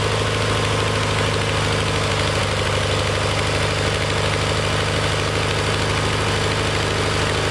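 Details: Kohler Magnum 20 after a carburetor rebuild, mixture screw turned in from about 1.5 turns out while fine-tuning. Fast, even single-cylinder thumping at steady speed with no misses or stumbles. The engine should be at operating temperature for this adjustment.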